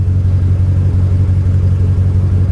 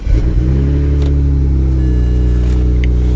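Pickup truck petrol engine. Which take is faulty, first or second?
first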